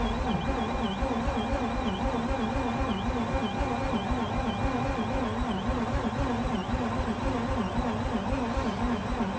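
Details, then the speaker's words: Mazda RX8 rotary cranking after the starter pulley was loosened, with the battery on a 6 A charger: starter now spins much faster with an even, brisk cranking pulse, but the engine never catches; no-start cause suspected, not confirmed. "as you could see guys it is spinning so much faster"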